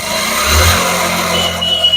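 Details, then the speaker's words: Hero Splendor Plus motorcycle, kick-started, running in third gear: steady humming noise over the exhaust beat from the gearbox; engine opened, fault found in the third gear. "तो इसी side से जो noise आ रहा है humming का उसको हमें ठीक करना है"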